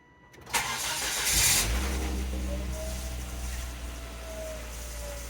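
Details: Volvo XC70 that had a cylinder 3 misfire (P0303) and stumbled once warm: the starter cranks briefly, the engine catches cleanly and settles into a steady, even idle with no stumble or miss.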